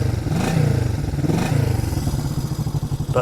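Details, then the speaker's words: 1973 Honda CB250 K4 twin, mostly original and unrestored with pattern silencers, just started easily, idling: light quick even patter with slightly tinny exhaust, smooth and regular like a sewing machine; healthy engine. "if you could get in there and listen to that engine, that sounds like a little sewing machine. Doesn't that engine sound sweet?"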